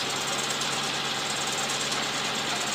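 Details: Infiniti M45 after new alternator and solenoid, now charging about 14.5 V instead of 15–16 V: steady even hum with smooth airy rush, no knocks, ticks or squeals; clean idle, though a bad tensioner pulley was found.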